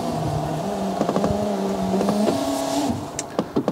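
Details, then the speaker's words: 2011 Fiat 500 Lounge power window going up: motor whine rises and falls in steps with clicks and knocks, labouring; the scraping was traced to a channel missing screws, and the owner suspects the guide is not seated in the channel. "let me just uh wind it up see it's going up it's struggling a bit"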